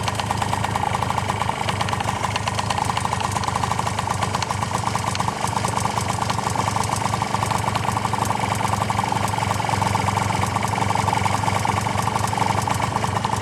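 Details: Honda Tact AF24 two-stroke scooter running cold: steady fast metallic tapping at idle tied to engine speed, started along with heavy smoke; engine knock, cause unknown.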